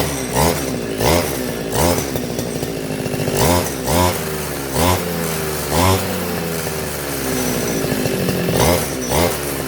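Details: RBC411 two-stroke brush cutter that would not start, after repair: it picks up cleanly on about a dozen throttle blips and drops back to a steady idle. Running properly.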